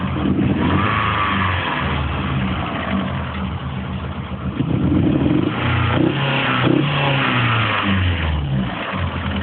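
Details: Opel Tigra engine problem: idles and revs with an uneven clattery note that doesn't settle; abnormal engine noise, cause not identified.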